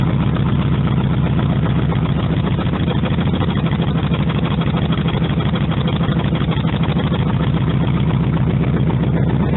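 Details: Cold start of a 1948 Harley-Davidson EL Panhead after two full kicks on full choke, with the carburetor readjusted and timing set: steady, even loping low thump at idle with no knocks, misses or rattles; normal idle.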